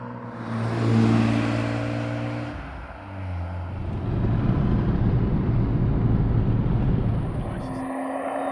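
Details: BMW 320i E36 with M50B20 inline-six, stock apart from a new intake filter, ex-automatic now manual: pulls smoothly up through the revs and settles back with some road noise, no knocks or rattles; engine sounds healthy.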